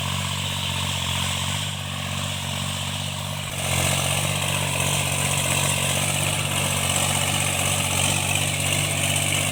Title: cultivation after I fixed engine knocking tractors&marine MECHANIC